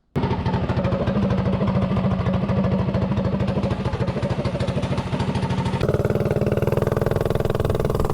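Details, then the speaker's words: Predator 224-powered GTS mini bike with tuned 26 mm PWK carb, road test after pilot set: crisp, even firing that pulls steadily and picks up cleanly on throttle; good mid-range, very throttle responsive. "runs yeah definitely has good mid-range with this car it's really throttle responsive"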